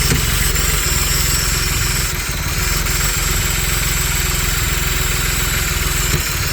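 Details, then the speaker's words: Audi Allroad with stage 3 tune, when first hooked up: loud idle with uneven hunting beat and hiss over exhaust, improving as it runs; vacuum leak from a forgotten disconnected vacuum hose causing erratic idle. "this is how this car ran when I first hooked it up and you can hear that it's getting better and better so I think it's good but it's just vacuum leaked that I had everything hooked up"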